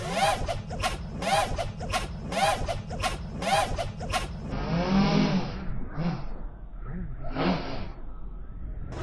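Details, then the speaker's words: Betaflight 4.3 quad flown line of sight with no I term, flips before slider tuning: motor whine surges each flip, ending in double woof as props settle; P/D overshoot (propwash oscillation). "Woof, woof at the end. So that is overshoot."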